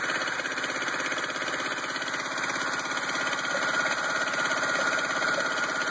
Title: Rough idle 86 crx